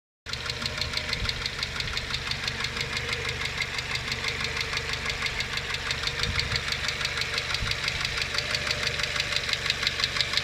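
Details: Renault Logan with K4M engine at idle: crisp, fast metallic ticking at about three per second from noisy hydraulic lifters, before treatment with an oil additive.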